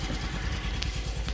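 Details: Single-cylinder engine after a fix, idling with fuel level correct and no overflow, given a throttle blip: steady thump about ten pulses a second, clean and even; repaired and healthy.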